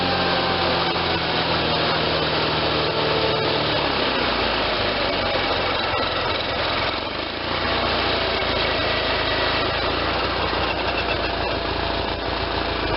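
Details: Case Ingersoll 448 hydriv garden tractor, running after installing a fully rebuilt N46 mower deck with a new belt: steady, even drone with the deck spinning smoothly, no knocks or belt squeal; belts tracking well.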